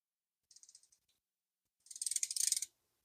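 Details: Vintage Daiwa SL20SH reel, in good shape, being repaired: quick, crisp high clicks in two bursts as line pulls against the drag; smooth, even and healthy.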